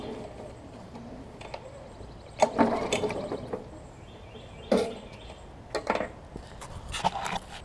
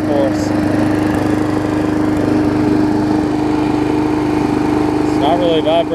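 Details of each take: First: Briggs & Stratton Classic mower engine, pull-cord cranking: rattly popping, no firing; suspected low compression or stuck valve. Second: Briggs & Stratton Classic push mower engine swapped onto a Hyper Tough deck: steady even buzz at constant speed, no misses, surging or knocks, runs smoother than before; normal running.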